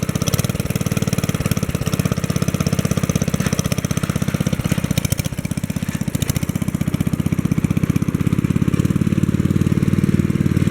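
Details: 1964 Wheel Horse 704 Kohler single-cylinder after fixing rod knock from worn rod and crankshaft (crank still 0.002 in out of round): steady speed, even firing pulses, no rod knock, lifters tapping, belt flapping against guard; normal running.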